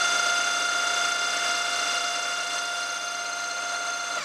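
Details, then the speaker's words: 6mm carbide end mill cutting steel at 1000 rpm, climb milling: steady high singing ringing tone through the cut, dropping away at the end; milling chatter, suspected from workpiece held too far out of the vice. "that's a really good finish i think the vibration is because i have it too far out of the vice"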